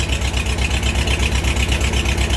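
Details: Farmall H tractor after tune-up with new plugs, wires, points, condenser, rotor and cap, Seafoam in fuel: uneven, lumpy idle with steady low thump that stumbles; a cylinder missing from a closed spark plug gap, runs beautifully once regapped.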